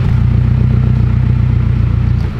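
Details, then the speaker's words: AWD Civic Type R build running after a spark plug causing a bad misfire was fixed: deep, even exhaust pulse at a steady fast idle, no stumbles or dropouts, firing cleanly on all cylinders; normal running. "you guys can already tell it sounds way better it definitely was misfire pretty bad yesterday"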